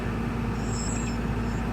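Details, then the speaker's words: 1992 Toyota pickup 22RE just started after starter replacement for intermittent starting issues: steady, even low rumble with no knocks, misses or squeals, settling into a smooth, healthy idle. "Ooh. Oh, that sounded really good. Oh my gosh. Yes. Yes."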